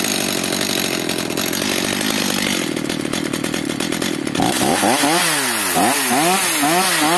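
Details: Stihl MS 230/250 chainsaw after the idle speed was raised. It idles roughly and the revs surge unevenly when blipped, running only so-so. The air filter is completely clogged, and weak compression is suspected.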